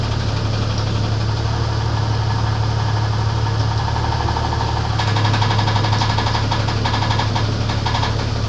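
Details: Internal engine knock on a 1994 Grand, 4-litre engine, at idle: steady tapping knock roughly four per second, keeping time with the engine; cause not clear.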